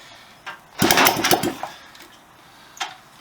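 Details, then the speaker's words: Honda CB125S after engine restoration, carburettor and fuel system refitted, first kick-start attempt in years with choke: a kick, a short ragged burst that dies within a second; fires but won't keep running, timing suspected too early. "almost like it's firing a bit soon but almost ah maybe the timing needs to be adjusted just to bring it back a bit"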